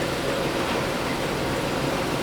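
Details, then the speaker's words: Ford XG Falcon ute at idle after power steering fluid was topped up: an even, smooth idle with no rattle and no whine from the power steering pump; an engine mount is suspected as the earlier rattle; it sounds healthy. "sounds sounds fine it's not rattling anymore as you can hear and it's not winding from the engine anymore because we've got power steering fluid"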